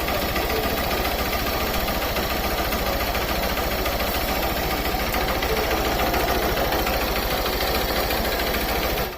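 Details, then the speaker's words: 2015 Honda Fan 150 motorcycle, 62,000 km, restarted warm after riding 20–40 km and resting 30–40 minutes: fast, light even tac-tac ticking over idle; mechanics suggested clutch bell (campana), not confirmed. "a moto ela apresenta um barulho zinho né um barulho zinho tac tac tac tac tac tac tac tac"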